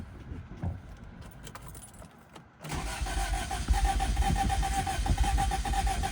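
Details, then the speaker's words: Toyota Celica cranked after a head gasket and timing belt job: starter spins the engine evenly about two turns a second but never catches; crank no-start from wrong ignition timing. "It didn't sound too bad, to be honest. Like, hope that all I need to do is fix up timing."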